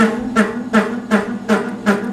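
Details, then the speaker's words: Old Lathemaster lathe parting off bushings with a homemade cutoff tool; rhythmic buzzing squeal pulsing about every 0.4 seconds that fades once the cut settles in: lathe tool chatter. "Go and chatter again, it'll go away in a minute. There you go. Once the chatter goes away, it just cuts."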